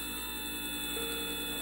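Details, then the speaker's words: Currie Electro Drive brushless e-bike hub motor rebuilt after 3 of 4 rotor magnets detached: running in controller learn mode with no load, smooth steady high hum, even tones, no knocking or scraping; sounds much better than before. "so a little look at that hopefully it'll work well that sounds a lot better than it did before she lamps"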